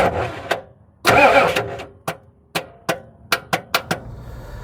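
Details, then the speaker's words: Long-stored dually truck: the starter clicks sharply every half second with one brief churning burst, but the engine does not crank. The starter had gotten hot from earlier runs and was adjusted; it turned over after being struck. "So here you hear the starter start clicking. I had to get an adjustment tool and go under there and adjust on it a little bit."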